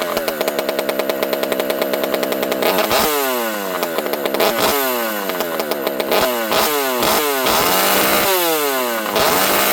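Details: Rebuilt Partner P42 two-stroke chainsaw on the bench in warm weather: revs up and down cleanly on repeated throttle blips, no bog or stumble; running well, owner notes the very open pipe spits fuel.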